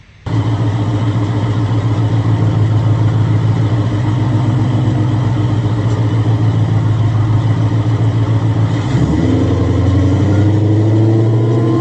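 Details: Supercharged Coyote V8 Ford Fairmont on dyno, about 900 rear-wheel hp, new Magnafuel 750 pump on boost-referenced return fuel system: strong deep roar held evenly at full load, brief drop then pitch climbs again; fuel pressure verified, normal WOT run.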